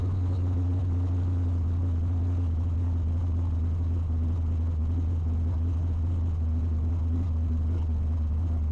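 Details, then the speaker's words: Holley EFI HP Dominator car after tuning the IAC, IAC parked position, cranking fuel and prime percentage: started with no throttle at 100 degrees, a deep, steady, even idle with no stumbles or surges for nine seconds. "I'm just gonna crank no throttle no anything and we're gonna see how long it takes for it to start at 100 degrees"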